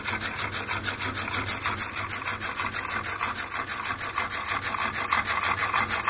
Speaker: let's hit the top there we must freewheel in there a little bit now it's running right back in time